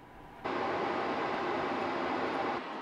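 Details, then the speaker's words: RV furnace blower, previously screeching and scratching, after the fix: it starts and settles into a steady, even rush of air with no screech or rubbing, running normally and not loud. "the fan works it is not broken anymore and it's not super loud so this is awesome"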